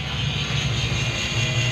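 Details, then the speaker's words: Renault Kwid with a no-crank no-start fault, ignition and lights off: a steady, unbroken electric-motor drone and vibration from the ABS unit, with warning lights continuously on. The ABS pump motor runs continuously and won't shut off. "आप सुन सकते हो एक vibration feel हो रहा है ABS motor से मेरा ऐसा साउंड आ रहा है इसके अंदर से क्या फॉल्ट है वो चीज चेक करेंगे"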